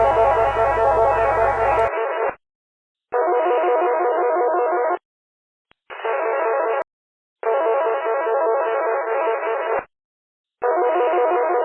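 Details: Unidentified data signal heard on UHF amateur repeaters (Chester, Crowders, Myrtle Beach) and simplex, mixing with weak signals: harsh buzzy bursts about two seconds long with short gaps; source unknown.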